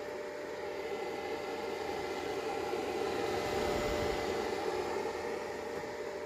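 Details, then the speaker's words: Greencell 1000 W hybrid solar inverter: steady, loud fan whoosh with a sharp tone near 600 Hz from its two cheap cooling fans, which the owner plans to replace with better ones. "okay so I have this green cell hybrid inverter it's kind of fine but it's noisy I don't know if you can hear it but it's"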